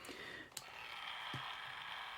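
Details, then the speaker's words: Walkman with volume at zero and no belts fitted: faint light whir with a couple of small ticks, just the motors spinning with nothing driven. "This is the sound then of just the motors spinning because there's no belts in this Walkman anymore."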